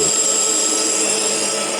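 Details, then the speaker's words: Schaublin lathe boring a hole larger for an oil seal on the Variator pulley, very long boring bar with tip set slightly above center; steady even cutting hiss with no rising squeal or shudder, a normal chatter-free boring cut. "here is the boring going on as you can hear there is no chatter despite the very very long speak out"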